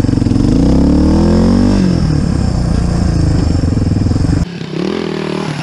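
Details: Suzuki DR350SE single-cylinder dirt bike, revived after sitting abandoned, valves cleaned: thump revs up smoothly then drops back to steady idle without stumbling; fuel delivery sounds healthy, running much better than before.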